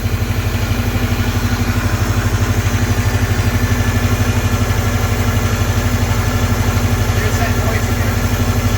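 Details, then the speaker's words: Subaru boxer after water pump replacement and unequal-length headers: steady, even low idle thrum, about three beats a second, no knocks or ticks; owner notes it still has some old Subaru piston slap; healthy idle. "i mean it still has that like old subaru piston slap but yeah but like in the cold it usually be like it doesn't do that anymore she sounds good yep"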